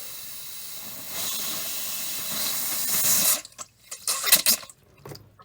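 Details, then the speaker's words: Whole-house water filter housing in Alaska crawl space, bled after replacing filters including a carbon filter: steady hiss of escaping air turning to sputtering spurts as water arrives, released until more water than air; normal air purge. "And I'll keep releasing the pressure until I get more water than air."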